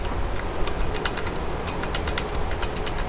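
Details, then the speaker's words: C5 Corvette Z06 with a T56 six-speed: bursts of sharp metallic clacks each time the shifter is rocked. The slop is in the shift rod linkage universal joints, which are to be replaced with zero-slop joints and a brass isolator cup. "can actually hear the slop in that universal joint. So I'm gonna pop this out."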